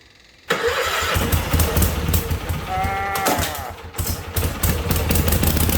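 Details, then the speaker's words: Case 446 with a swapped-in Kohler Magnum from a Cub Cadet, first start after the swap: single-cylinder engine catches and runs choppy and uneven, hunting slightly; governor not yet adjusted. "Alright guys, so we got it to run. It runs, but we're gonna mess with the governor a little bit"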